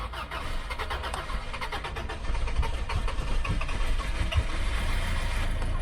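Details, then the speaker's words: 1995 Subaru after replacing burned fusible link (battery cables had been installed backwards), started by starter button after sitting a few days; long cranking catches and settles to steady, even idle, no knocks or misses; normal. "so uh on this car i've got a starter button down here because it hasn't been started for a few days"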